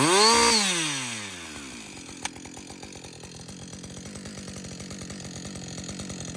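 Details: Husqvarna 562XP chainsaw after a shop software reflash for dying when hot, stumbling and no-start. Saw after its longest continuous run, which the owner calls its best running ever. Revs fall away smoothly and settle into a steady, even two-stroke beat without stumbling. Normal running.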